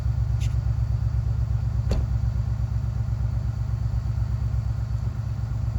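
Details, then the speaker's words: 1967 Mercury Park Lane with a 410 Ford FE, cold start on jumper cables: steady, slow, low chugging crank that never catches cleanly, with possibly inconsistent spark. It ran only briefly; the battery is dead and needs charging. Cause suspected. "Well, that's a no-go. I guess we will. Well, that battery's certainly toast, so we're gonna have to charge that"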